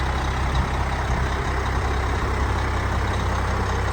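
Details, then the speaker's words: 1996 (also called 1997) Freightliner FL112 Tanker 50 fire truck, 370 hp Cummins M11 turbo diesel, about 19,600 original miles: deep, steady idle with an even low rumble and no knocks or misses, said to start right up and sound great. Normal idle. "You can hear that M11 Cummins. It sounds great. It starts right up."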